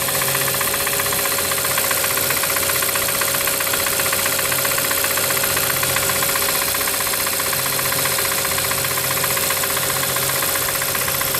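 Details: Brand-new 2013 Hyundai Santa Fe at idle: steady light knocking about four per second over a busy engine hum; possible wrist pin/piston defect, not confirmed.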